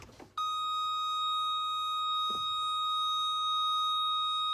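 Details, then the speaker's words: Ferrari F355 Spider (American-market car) door-open warning: steady high unbroken electronic tone while a door is open; the roof mechanism will not operate unless the doors are shut. "another thing to check on the 355 before the roof mechanism will open or not is the doors of shop know this American car but it has the most annoying beep when you open"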